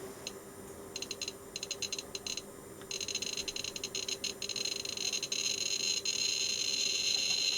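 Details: Arduino Geiger counter with V2 sketch fixing a bug, radium-226 radio compass brought close: sharp random ticks growing denser and faster after three seconds; normal clicking.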